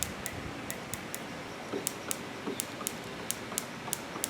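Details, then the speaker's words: ENJOMOR 10cc Whippet flathead water-cooled four-stroke model gasoline engine, electronic ignition on 6 V battery, after wiring corrected: plug resting on engine, crisp spark snaps as flywheel turned by hand; healthy hot ignition spark. "I can hear it you can hear the spark pop I have the spark plug sitting here on the throttle there it is"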